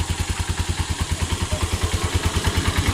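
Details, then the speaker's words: Honda TMX 125 single-cylinder after fix: original CDI still fine but stator primary faulty, so converted to a battery-operated CDI; starts and idles properly with even thumping, about nine beats a second, no misses or stalling. "Nasalpak natin yung CDI niya testing na natin kung mag-start yan, nakaon na kanyang battery. Start yun oh. battery operated CDI convert natin yun."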